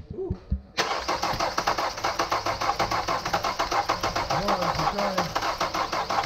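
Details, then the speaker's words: Kia Soul with a cam code and taped-up cam sensor wiring, cranking: quick cranking pulses with sharp irregular pops, no catch; backfiring through the intake, suspected cam timing wrong (distributor/timing possibly in backwards). "think you might have the distributor in backwards those timing marks were pretty clear it was it was backfiring through here"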